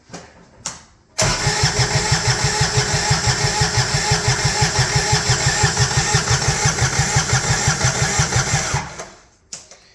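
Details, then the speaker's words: 2011 Kawasaki Mule 4010 diesel UTV, idle about two years, with rebuilt valve train: even cranking at about three compressions a second for eight seconds with no firing; rings suspected tight with low compression, the starter is getting hot, and smoke comes from the exhaust. "by the way that was worse well we're losing power better battery power that starter is probably getting too hot that's the problem"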